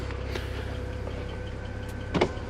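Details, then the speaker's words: 2008 BMW 335i (E90), 158,000 miles: a low steady window-motor drone with a brief strain and creak near the end as the glass top sticks on the rubber seal. This sticking broke the rear window regulator. "now the reason why it broke is when i was putting down all four of my windows the top of the window got stuck up here on the rubber piece"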